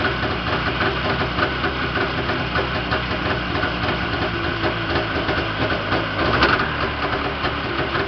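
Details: Yamaha Enticer 340 two-stroke, first start after rebuild (new Wiseco pistons and bearings, Hot Rods rods, custom forged balanced crank, Uni filter): busy, raspy idle holding fairly even with a brief rev blip, no knocking or rattling; healthy, very smoky.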